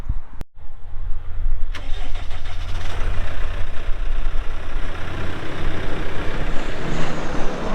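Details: 2021 Case 580 Super N 4WD backhoe with 1,159 hours: starter click and short crank, then the diesel fires and holds a smooth, even low idle with no knocks; normal start and idle.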